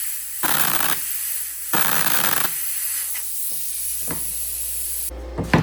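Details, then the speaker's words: 35-amp plasma cutter powered at 120 V by a Taramps 12k (12,000 W) car amplifier, cutting quarter-inch material: short hissing bursts that start and stop, then a thin fading hiss. Weak arc; the owner is unsure why and suspects the machine's limits at 120 V. "Well, we're off to a pretty slow start because uh it's struggling to cut this quarter inch and I'm not sure why."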